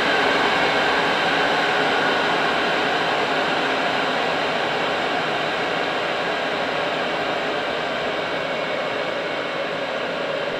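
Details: Cheap Chinese eBay diesel night heater, after a defective fuel filter causing air in the fuel line was replaced, building up over a few minutes to full capacity (LCD shows bars): constant airy roar from blower and burner, no pulsing, sputter or rattle; normal running at full output.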